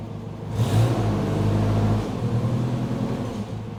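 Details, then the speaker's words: Bobcat 542B skid steer, started after throttle/governor repair. Steady low rumble settling into an even idle after a brief rev, with faint noisy fuel-pump buzz underneath. Normal idle. "all right we're going to start it up and see how this new fangled throttle Contraption Works a noisy fuel pump it's idling probably Max"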